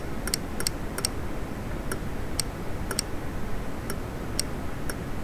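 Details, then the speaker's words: DIY 555 timer relay circuit, battery possibly running down. Sharp relay clicks in irregular pairs occur only while the battery is manually connected and disconnected. Left alone, the circuit never triggers itself and gets stuck on. "I'm manually pulling the battery in and out, and you can definitely hear the clicking. But if you leave it, it doesn't do anything."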